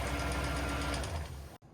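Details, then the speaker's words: Toyota Tundra after engine replacement, cold, just started before thermostat opens: rapid, light even sewing-machine ticking at idle; lifters suspected, more running advised. "Hey, it sounds like a sewing machine. What the hell is that? You hear that? What? Ticking? Yeah. It always ticks. Lifters."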